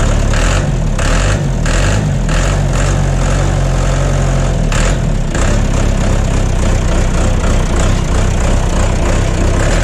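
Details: John Deere 2030 tractor diesel just after refitting overhauled, calibrated Stanadyne/Roosa Master injection pump, cold day, not warmed up: even steady idle clatter with firm low beat, no misses or knocks, burning clean, no blue smoke.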